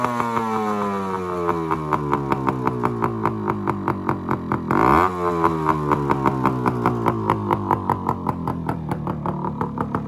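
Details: 1974 Yamaha RS100 two-stroke cafe racer after setting contact-point ignition timing just before top dead centre: crisp crackle revving up and settling back twice, even firing, no misses or rattles; runs right.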